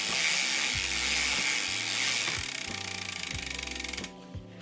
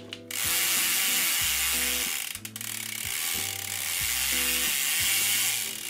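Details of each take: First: Mountain bike drivetrain after a big weekend ride, dirty chain: gritty, hissy grinding with steady clicking each pedal turn, noisy and hard to pedal; chain not very dirty so owner suspects further drivetrain problems. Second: Mountain bike drivetrain after a deep clean and degrease of the chain, reassembled with the power link: a steady freewheel ratchet buzz with pedalling bursts and the earlier grinding gone. The drivetrain now runs clean and quiet.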